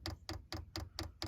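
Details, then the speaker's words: 5 kW Chinese diesel heater installed in a 2023 Ram ProMaster, manual fuel priming: crisp, even ticks about four or five per second, slowing slightly as air bubbles purge from the line; dosing pump clicking normally. "we're letting the air bubbles you can hear the pump ticking away and it's kind of slowing down a little bit you can see the air bubbles"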